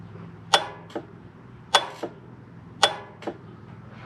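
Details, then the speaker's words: A/C compressor clutch tested with a 12 V source through leads at the fuse box: three sharp metallic clicks about a second apart, each with a softer tick; clutch engaging properly. No click would point to the compressor, likely the field coil. "what we should here is a clicking noise okay so here we go and there you go you hear that"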